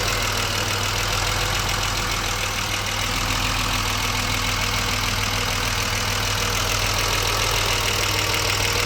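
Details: BMW 635CSi E24 investigated for rough idle via the ICV, warm at about 80% operating temperature after refitting the air hose to the throttle body: a steady, even, smooth idle with no stumble or hunting, a normal warm idle.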